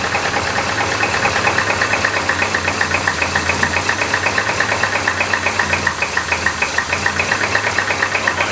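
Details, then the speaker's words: 1960s Oldsmobile 98 revived after 30 years seized, pressure reading about 50 PSI: sharp, even knock about five times a second over a labouring idle as the engine slows; owner thinks it is slowly seizing again, crank bearings working hard, not bad-bearing noise. "I think it was just slowly seizing again. There's a bunch of crank noise, but it's not like bad bearing crank noise."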